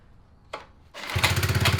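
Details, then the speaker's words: 1970 Fox Condor mini bike with Tecumseh 4 hp HS40 single and diaphragm carburetor, first start after revival: a pull or two, then it catches and settles into an even, quick single-cylinder beat; starts and runs fine. "okay sounds like it wants to do something i'm listening to him right now and he's getting on it"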